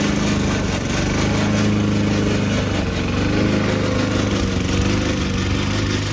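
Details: Old Toro Recycler mower cutting Kentucky bluegrass, binaural recording, before fix: steady engine with a dry, rattling whine on top from the drive system; the noise was later solved with WD40.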